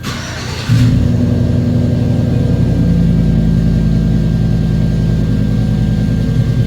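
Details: 2009 GM Silverado 5.3 V8, towed in cranking but not starting as the fuel pump wasn't running, start once communication with the fuel pump driver module returned: brief crank, then even steady run, no misses or knocks; healthy start.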